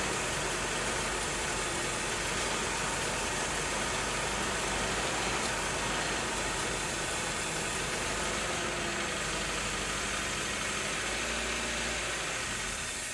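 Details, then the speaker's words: 1987 Nissan D21 hardbody with 53,000 miles, sat 30 years with a seized motor, first run on 30-year-old gas with new plugs: hissy, uneven idle with a ragged low rumble, not settling, burning off junk. "okay so after sitting for 30 years with a stuck motor it's running going to burn off all the junk in it"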